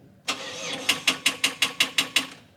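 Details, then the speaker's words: Turbo Ford Territory after street repair, oil and gearbox oil refilled, first start attempt: starter drags the engine through about eight sluggish, fading strokes, roughly five a second, then quits; dead battery can't crank it. "Battery's dead."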